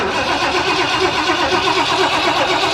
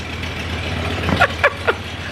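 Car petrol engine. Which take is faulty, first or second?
first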